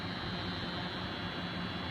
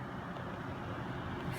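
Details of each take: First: Noctua NH-D15 CPU cooler with the fans in a pull configuration, sucking air through the fins: steady fan rush with a constant low buzz and a faint high whine. It is quiet in push configuration, and the clips are tight. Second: Noctua NH-D15 CPU cooler with its fans in push configuration: soft, even airflow turbulence hiss with none of the buzzing heard in pull configuration; the fans run quietly and normally.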